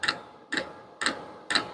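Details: Vevor diesel heater at its lowest setting, tube still warm at about 194: the fuel dosing pump ticks crisply and evenly about twice a second with nothing in between. Normal fuel pump ticking.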